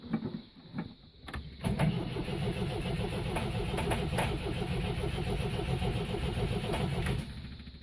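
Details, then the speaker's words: MGB being got running after carburettor work, idle not yet set: starter churns the engine at a steady rhythm, about three and a half beats a second, for several seconds, never firing; cause unknown, a loose starter motor connection later found. Crank, no start. "hmm i think you may have a problem with starting"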